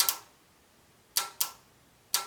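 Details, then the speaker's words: 2009 Subaru Forester 2.5L with code P0028 and check engine light on, engine off. Variable valve timing solenoid is energized and gives crisp clicks in quick pairs; it moves, though it could still be stuck. "Did you guys hear that? So the solenoid clicked. So which is good."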